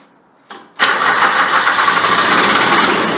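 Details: Grasshopper 721D diesel mower, unused for one to two weeks, after about 20 seconds of glow plug preheat: single relay click, then it catches almost at once and holds a steady even run with a little throttle; normal diesel start.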